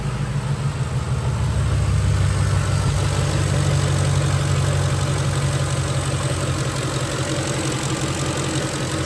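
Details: 2006 Ford F-150 5.4L 3-valve Triton V8 after retorquing a loose spark plug to spec: steady, even V8 idle with smooth low hum and no ticking or tapping; healthy.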